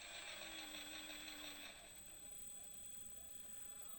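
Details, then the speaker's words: JConcepts Creep RC crawler with all-aluminum gearbox, 900kV 3548 outrunner and Hobbywing QuicRun 10BL120: soft, steady high whine with light mechanical tick at slow even crawl; smooth, quiet normal running. "it's now running a 900 kv 3548 outrunner which is amazingly smooth and far quieter than one would expect on a 59 hobby wing quick run 10 bl 120."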